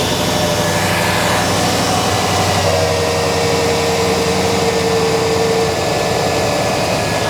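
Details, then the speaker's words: Engine cold start with tight fan clutch: a steady, loud whooshing roar of air over the engine as the fan pulls a lot of air across the radiator while cold, meaning the fan clutch is too tight; fan clutch to be replaced. "there may be a slight Roar from the fan as we Crank It Up just because the fan is a little bit tight"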